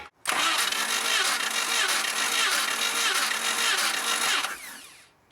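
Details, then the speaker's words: 1988 Jeep Comanche Renix 2.5L I4 cranking during a compression test: uneven chugging beat, roughly ninety a minute, for about four seconds; readings about 120, under 90, and around 160 psi on cylinders 1–4. "Yeah, that one just sounds really not good. And look at the psi on that thing. It's like 160."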